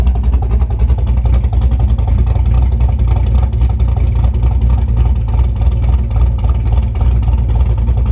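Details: Chevrolet Camaro cammed V8 idling right after installing a Summit Racing Max EFI-500 injection (IAC-controlled idle, fuel pressure about 35-40 psi as delivered): deep, lumpy, steady lope of about three to four beats a second. Normal big-cam idle, running well.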